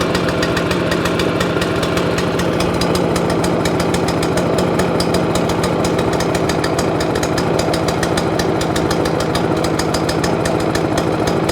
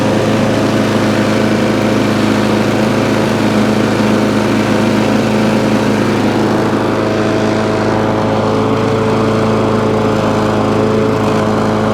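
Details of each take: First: Free scrap overhead-valve mower engine after main jet work: ragged, lumpy single-cylinder beat with stumbles, running as if on choke. Owner suspects the spark plug. Misfiring and running rough. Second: Free scrap lawn mower, cold start after about 10 primer pumps to clear water, reportedly not running before: fired straight up, bit smoky, steady even drone with constant pitch, no misses or surging.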